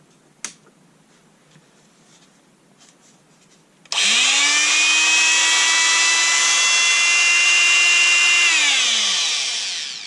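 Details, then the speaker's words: Einhell multitool after repair (it had stopped working): motor spins up to a clean steady buzzing whine, holds even speed without rattles, winds down smoothly; normal motor run. "well I'm sorry for deing you but as you can see it appears to have come back to life"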